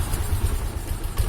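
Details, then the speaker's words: Honda Genio scooter that starts hard and stalls, smokes heavily when revved: coarse, uneven low thumping and clatter on throttle blips; worn piston and cylinder suspected, camshaft or rocker arm wear also considered. "nah kedengaran teman-teman Ca dilangsamin suaranya kasar teman-teman terelacak"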